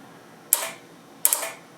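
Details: Flex Radio 6600M with a 12 V USB eight-channel relay board switching its power: at power-up the relay gives two sharp clicks about three quarters of a second apart, a spurious click that sometimes cycles the radio off and on.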